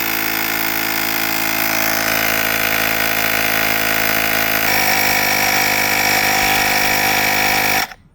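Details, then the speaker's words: Pelsee 2-in-1 jump starter/air compressor inflating a completely flat bicycle tire to a 43 psi setpoint: fast, even piston chatter at steady pitch for about eight seconds, then a clean auto cut-off at pressure; normal compressor operation. "The tire is completely flat. Now we can see it airing up."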